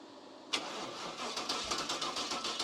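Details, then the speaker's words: Cub Cadet garden tractor with 305 Chevy small-block V8 and new fuel pump cranks with quick even pulses but won't fire. The fuel pump wasn't running because its ground wire fell off; once it was reconnected the engine starts. "Then he had the ground There it goes. Fuel pump wasn't running."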